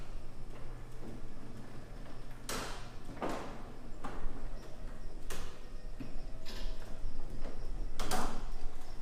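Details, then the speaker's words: Garage door after white lithium grease on hinges and spring and WD-40-cleaned roller tracks: soft even roll with slight rattle at track transitions, much quieter though not silent. "so it's not perfect it's not dead silent but if I'm sitting in the house now I really can't even hear the door open and closing"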